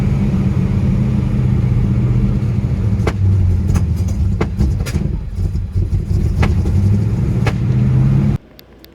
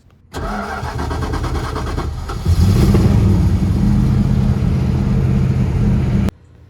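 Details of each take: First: Holley carburettor engine before cleaning and rebuild: uneven, lumpy running with irregular pops and stumbles over a low drone, rough running from a dirty carburettor. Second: After cleaning and rebuilding its Holley carburetor, the engine cranks briefly, catches cleanly and settles into a steady, even idle with no misses or stumbles; running properly.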